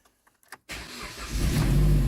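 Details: 2010 Jeep Compass no-start traced to a corroded relay box/ASD relay; after repair and a code reset, the starter turns briefly and the engine catches at once, settling into a steady idle.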